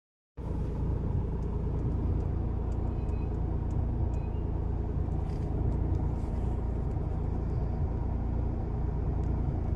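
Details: 2012 Hyundai Eon after fitting a brand-new air conditioner; low rumbling idle with an irregular rattle over it: abnormal engine bay noise, cause suspected, not confirmed.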